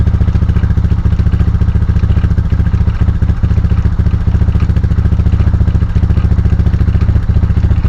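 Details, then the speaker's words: 1999 Honda FourTrax TRX300FW 4x4 ATV, rear-wheel-drive fault (runs as front-wheel drive only): driving in gear gives a steady low drone with a regular clatter about four times a second, something rattling in the rear drive; rear end to be disassembled. "actually the melted side is the one side that does work but you can hear something"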